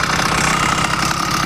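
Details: 80cc motorized bicycle two-stroke with a smaller jet, possibly a tad rich: busy, even idle with a loose, fast rattle on top that clears at high rpm; owner unsure whether top end or bottom end, leaning bottom end.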